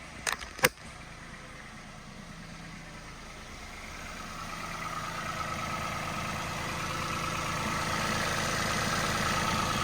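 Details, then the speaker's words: Peugeot 107, jump-pack start after locksmith ignition barrel work: a couple of starter clicks, then catches and ticks over smoothly and evenly, getting slightly louder; normal idle. "ticking over lovely actually don't hear no problems no issues but we've actually got a running car"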